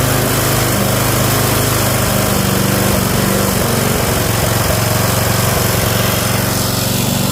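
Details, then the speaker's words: Toro 5.5 hp self-propelled curbside mower on level ground with the throttle at full run after choking. It holds a steady, even full-throttle drone under the governor, with no stumbling or surging. "I'll leave it at full run. I'm guessing right about there. So it should sound like it's stumbling a little bit, but it's not."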